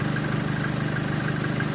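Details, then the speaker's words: 2013 Chevrolet Colorado after the alternator pulley was replaced, aircon on, at a slightly raised idle: smooth, even low hum with no ticking or chirp; the alternator pulley now runs quiet. "Tahimik na. Ayan. Tahimik na ngayon, Joel. Ngayon dyan, i-revolution ng kaunti. Nawala na yung pitik-pitik nyo."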